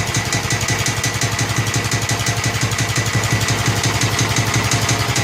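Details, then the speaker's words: Snapper mower single-cylinder engine with a leaking carburetor: steady, even thump with light clatter at constant speed; engine itself running normally. "The motor sounds good when it's running correctly."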